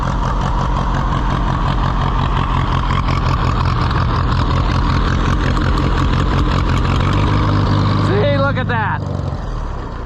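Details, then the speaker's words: Allis-Chalmers WD tractor (WD45 engine, or the reverse), started on jumper cables: uneven, lumpy low idle that falters and dies; carburetor overflowing and flooding, owner also says it needed some choke. "oh she flooding in the carburetor though man stay off life support it's very much flooding as in other words the carburetor running"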